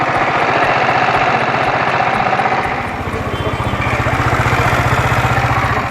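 A motorcycle idles with a steady low thump and a light, sharp metallic ticking from the cylinder head.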